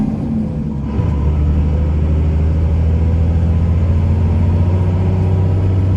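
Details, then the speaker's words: 2001 Dodge Ram 2500 4x4, 5.9 Cummins diesel, 6-speed manual, 81k miles, fully serviced, climbing a hill: deep steady drone, gear changes clean with no grinding or hesitation; normal gear shifting. "We're gonna head up the hill here and you can hear how smooth the 6-speed shifts. It doesn't grind or hesitate or anything."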